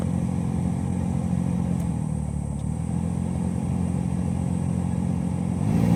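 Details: Car dash AC blower motor making a rough, fluttering low grind, caused by a small loose foreign object caught in the fan.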